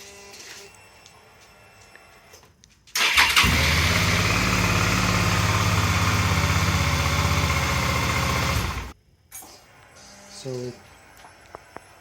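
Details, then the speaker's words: 2007 Suzuki DL650 V-Strom after cleaning gunked clutch switch that prevented cranking and reinstalling it correctly, starting with clutch lever pressed: engine catches at once and settles into even, steady idle; normal start. "if I don't if I don't press the lever it doesn't work if I press it it's exactly what we want"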